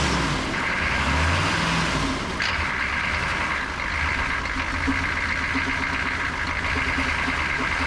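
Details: 1988 Chevy C2500 with a 6.2 diesel and Banks turbo, over 400,000 miles, started with a gas-soaked rag in the air filter after sitting; steady, even clatter after catching, no misses or stumbles, running properly.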